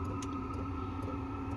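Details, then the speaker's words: Diesel heater newly installed in a camper van, hot air feeding the existing ducts: steady low burner hum with a soft pump tick about twice a second; heater running normally. "Donc on entend un petit peu la pompe effectivement. Bon ça tourne, je suis bien content."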